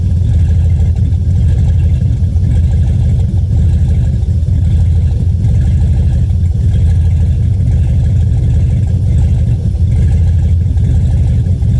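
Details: GM 4.8 LS V8 that stumbles when warm: deep idle with an uneven, stumbling, loping beat, a misfire of unknown cause.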